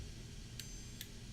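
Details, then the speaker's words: Relay on a newly assembled switch isolator PCB, triggered by an assistive switch; three crisp clicks about every 0.4 seconds over low room hum, switching cleanly; normal relay clicking. "I hear whenever this goes on I can hear it clicking there so it basically allows your candy corn or honey beam to be able to activate anything right"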